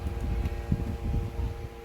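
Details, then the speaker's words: Secondhand LG 25UM58-P ultrawide monitor producing a steady electrical buzz with thin constant tones when powered on, loud from the front; louder on its original stand, reduced on an arm mount. "i don't know if you could hear it but it's producing it this uh faint humming or buzzing sound actually it's not faint if you're in the front of the monitor so yeah"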